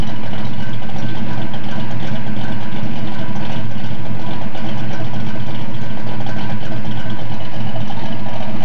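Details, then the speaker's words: Restored 1970 Boss 302 Mustang V8, started with coil hot-wired: steady even burble at idle with smooth exhaust note, no knocks or misses; normal healthy idle. "you'll remember these sounds this old engine [Applause] let's listen to the exhaust"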